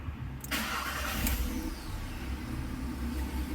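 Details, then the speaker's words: 2019 VW Polo 1.6 MPI naturally aspirated petrol, about 80,000 km, cranks and settles into an uneven, lumpy idle with one dead cylinder, check light on; faulty fuel injector found as cause. "we can feel the misfiring symptom whereby it feels like uh it's running just a three cylinder not smooth it's still idling but when we Ram it feels like one cylinder is not working"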